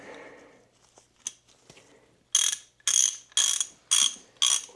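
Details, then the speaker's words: 56-year-old vintage Craftsman USA RHFT ratchet, flea-market find, just reassembled after cleaning and service: a few light taps, then a run of crisp, evenly spaced clicks, roughly two per second, pawl engaging cleanly; normal ratchet clicking. "So it sounds amazing for a 56-year-old ratchet that I scored at a flea market for 10 bucks."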